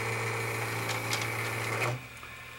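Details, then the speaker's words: Panasonic PV-S7670 S-VHS VCR with many hours, failing to rewind, reversing slowly then shutting off: rough whirring grind with thin whine for about two seconds; suspected dry, loose capstan motor bearing, unconfirmed. "that noise that it's making that sounds like the Capstone motor actually that grinding noise sounds like the Capstone motor bearing"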